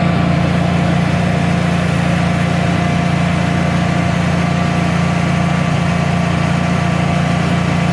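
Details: Generac Guardian 16kW standby generator, refurbished after exploded battery, running on gas under close to 6,000 W heater load: constant deep even drone, steady firing beat, no surging or stumbling; didn't even hesitate, healthy.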